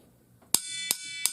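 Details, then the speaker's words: Water heater expansion tank being knocked on its air side, which should not fill with water. The three sharp taps ring high and hollow like an empty can: normal air-side sound, showing the tank is working. "This is the empty part. This part does not fill with water. It has air inside."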